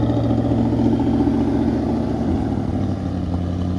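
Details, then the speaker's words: 1980 Mercedes-Benz 450SL started after a fuel pump replacement; the idle rises and falls instead of holding steady. The owner suspects the fuel pump is struggling, or possibly the relay or pressure sensor. "I think the fuel pump's struggling. I'm not sure what's going on. The idle's not happy."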